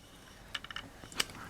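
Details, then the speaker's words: Seeburg jukebox record changer under restoration: a quick cluster of light clicks and a sharp clack as the clamp releases, the record holder returns, rollers click in and plungers reset, locking back into scan mode; normal mechanism cycling. "can hear things there's the clamp coming off there goes the record holder you can hear your rollers clicking in place the plungers going back in place now it's locked back into the scan mode"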